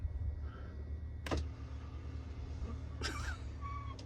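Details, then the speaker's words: Jayco van Euroloft lift bed after rubbing ski wax on each strap: a low, even motor drone and faint hum, super quiet going up and down with no squeak. "please oh my goodness why did I wait so long to do this oh that's beautiful super super quiet going up super quiet going down"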